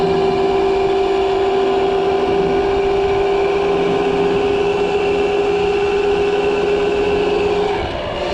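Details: Pit bike converted to a 6000 W 72 V electric motor driving the original gearbox by chain through a sprocket replacing the crankshaft, chain in a new metal enclosure: steady high whine over rough, uneven rattle, fading as it slows; abnormal drivetrain noise, source unknown.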